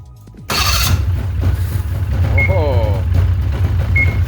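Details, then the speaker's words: 2004 Ski-Doo GSX 600 HO snowmobile, after a big backfire then no start, fixed by replacing the spark plugs: engine catches at once after a short crank and settles into a steady, even two-stroke idle; healthy start. "right back up well from no start to start seems like all we had to do was replace the spark plugs"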